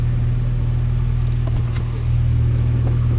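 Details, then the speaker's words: 5th-gen Honda Prelude free-revving in place, fuel pressure 45 psi at idle rising almost to 50 when revved, before fuel pump replacement: steady low rumble lifting cleanly as blipped, no stumble; revs normally. "Well, just idling and revving it, it does like it's supposed to. 45 when you rev it. Fuel pressure increases almost up to 50."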